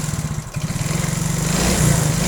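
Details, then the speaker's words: Yamaha Mio-type single-cylinder scooter engine, previously hard to start/lost compression, running again after oil added in spark plug hole; steady quick even putter picking up smoothly, a little smoke that should clear; normal running. "okay, there is a little smoke coming out later it will also go away, yes,"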